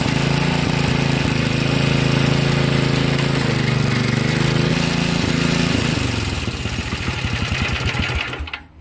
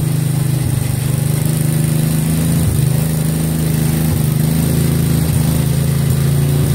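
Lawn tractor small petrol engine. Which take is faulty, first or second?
second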